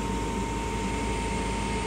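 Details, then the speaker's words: 2007 Heil gas furnace (3 burners, hot surface igniter) starting normally: steady air rush and constant motor hum with no rattles as the draft inducer runs, the blower fan motor turns on and the hot surface igniter lights. "nice startup from the draft inducer so the blower fan motor turns on there's the hot surface igniter see that"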